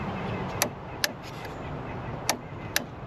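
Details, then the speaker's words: Auction-bought five-cylinder truck on two jump boxes, key cycled: four sharp irregular relay clicks at the fuse box, no starter whir; starter not even trying, other relays cycling as if cutting power for the starter, cause not yet found. "huh that's strange I can hear a whole bunch of them clicking so it's like when you turn the key to go and start something it'll cut power to everything else to conserve it for the starter"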